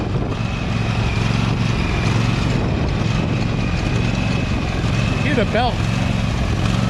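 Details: Husqvarna 2346XLS hydrostatic lawn tractor driving after rust-bound brake and gas pedals were freed with lubricant: single-cylinder engine holds a steady, even drone under load with no stumbling or stalling; normal running.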